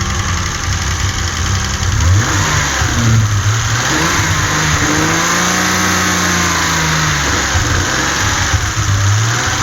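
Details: 1984 Alpina B6 2.8 with M30 inline-six, revved up and down from idle: note stumbles and is uneven instead of smooth, an unresolved misfire.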